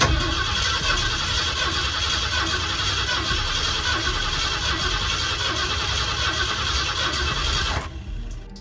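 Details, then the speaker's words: 1979 Ford Bronco under restoration, jump-started on booster, fuel added and wiring done: starter spins the engine at a steady, quick beat for several seconds but it never catches; cranks, no start, cause unknown. "the gas is going in everything's wired over here so it cranks but i don't know maybe we'll just try it again"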